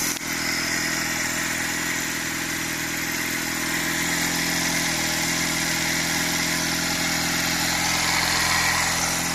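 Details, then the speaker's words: 46-year-old Honda CD175 during restoration, first start on choke after kicking over to circulate oil: light, even single-cylinder patter about four beats a second with hiss, very quiet; clean normal idle, may need a tweak. "But whoa, it's so quiet, I can't hardly hear the thing."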